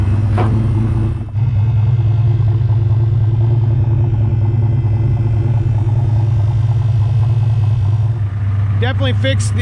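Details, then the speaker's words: Ford Mustang (Fox body) turbo 363 stroker, turbo kit about 20 years old fitted last year, after fixing a long-standing exhaust-side tick; cold, steady even low idle rumble with no ticking, exhaust sealed; normal cold idle. "issue that we had that turbo Kit's probably 20 years old just got put on last year definitely definitely nice I don't hear any tick whatsoever perfect"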